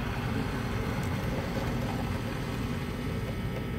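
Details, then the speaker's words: Replacement Taco 007-style cartridge circulator on tankless water heater/boiler loop, while bleeding air: rough low rumble and churning, cavitation from trapped air in the system, disappearing after purging. "so now you don't hear that cavitation anymore cavitation is the air you"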